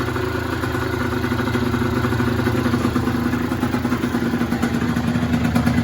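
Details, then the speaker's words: Yamaha DT50 two-stroke, stock cylinder, exhaust and carb with aftermarket air filter, after the idle adjustment: crisp, regular putter that holds steady and firms up slightly, no misfire or stalling; idling properly. "but yeah it sounds sounds really really good so yeah happy just for the wiring to tidy up new throttle cable throw the fairings on an mot and then she's ready"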